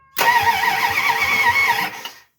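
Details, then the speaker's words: 1971 Plymouth Satellite Wagon, freshly replaced engine, before first fire: strong, even whirring crank for about two seconds, steady rhythm, no grinding or hesitation; starter turning engine over well. "all right we are cranking good Perfect"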